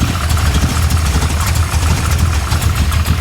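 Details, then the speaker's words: Rebuilt 560 hp carbureted V8 in a flood-damaged Impala on its first drive, warm but not at temperature: deep, lumpy, choppy idle with no steady beat; choke mostly closed, suspected flooding and not getting enough air. "[Music] She don't sound very happy. I don't know. [Music] Well, it's her maiden voyage. You can expect there's going to be some issues, you know."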